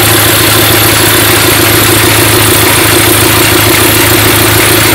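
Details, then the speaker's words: Red London taxi with automatic gearbox, idling at first start before a road test: a hissing rasp with a rhythmic rub about four times a second. Both mounting tabs of the brake vacuum pump are broken, so the pump moves and the belt rubs another pulley. "donc le bruit bizarre qu'on entend à mon avis et c'est assez logique il vient de la petite pompe de dépression dépression pour les freins et les deux pattes sont complètement cassées ce qui fait que la pompe se promène complètement et la courroie touche une autre courbe"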